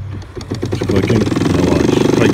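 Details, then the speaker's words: HART 40-volt brushless 20-inch self-propelled mower: motor hum with fast, even clicking as the drive slips because the engagement bar isn't fully squeezed in; the plastic cable lever bends with age, loosening engagement. "now if you just do this and turn it on you hear that the motor is not touching i can squeeze it squeeze it squeeze it the rest of the way and we got it"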